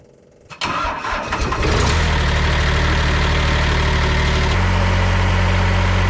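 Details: Restored 1980s–90s Ransomes Jaguar 4000 diesel commercial mower, rescued after 20–25 years in a junkyard, hydraulics rebuilt, glow plugs heated first: cranks a second, catches cleanly, settles into a steady even idle with a smooth step in speed; runs healthy.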